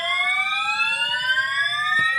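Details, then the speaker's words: Building fire alarm evacuation signal recorded close by during a morning evacuation; a very loud, piercing electronic tone sweeps slowly upward, continuously; the occupant doubts it is a real fire. "This is [ __ ] so loud. Oh, well, let's get the [ __ ] up out of here."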